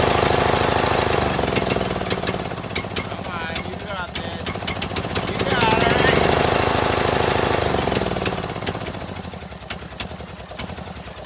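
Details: John Deere L100 mower that wouldn't run, first start after valve adjustment on choke with original battery and weak solenoid: loud choppy beat three to four pulses a second, surging and sagging, hunting; fuel is a couple years old and smells rank.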